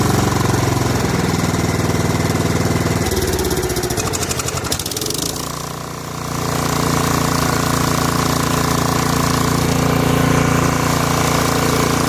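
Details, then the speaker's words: Snapper SR1433 rear-engine rider mower, sat 8 years, after carburetor rebuild: steady regular thumping about three beats a second, one brief dip; normal running, muffler deposits likely burning off before a shutdown-and-restart test. "Stuff in that muffler to burn off, I think. Let's shut it off and restart it and see how it does."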